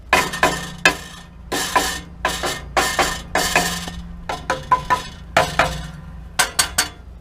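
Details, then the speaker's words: Nissan Pathfinder muffler tapped by hand: tinny buzzing metal rattle from the heat shield, whose cheap factory ring clamps rusted out and fell off. "and it is definitely from the heat shield and it's more specifically due to these cheap little rings that nissan has put on as sort of a factory clamp to hold the heat shield in place"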